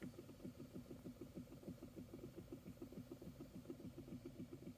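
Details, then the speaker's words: 2012 Chevy Equinox HVAC blower motor, fan speed turned up: rapid steady clicking over the fan hum from worn-out bushings/bearings; motor sometimes cuts out or won't restart, burnt-motor smell from vents, slightly quieter on high; motor due for replacement. "we turn it on and we hear this terrible noise and that's what it's doing right now so if I turn this fan speed up you can hear it making a clicking sound"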